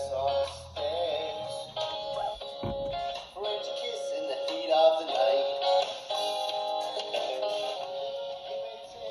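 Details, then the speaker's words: 1981 Sanyo M3330 cassette Walkman after replacing both belts, cleaning the mute switch and reflowing headphone jack joints: steady music with even pitch, no wow or flutter, tape drive running smoothly at correct speed. "and that volume is Flawless now there's no wow and flutter now with these new belts"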